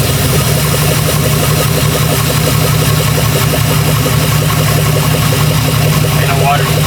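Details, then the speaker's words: Jeep Grand Cherokee with a freshly rebuilt 4.7 H.O. V8. Loud, steady idle with a faint uneven lope; a misfire at idle is suspected, not pinned down, after recent coil replacement. "all right well we run I feel like I hear a Miss but he been throwing coils at it so we'll get to figure it out"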